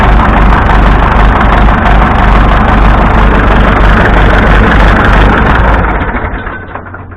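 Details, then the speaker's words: Massey Ferguson 165 tractor at steady low idle with good oil pressure and a regular knock around three per second; owner suspects a connecting rod knocking, cause unconfirmed until teardown; shuts down near the end. "I think that's Johnny Rod in there knocking his way out. He hasn't poked through yet, but I guess."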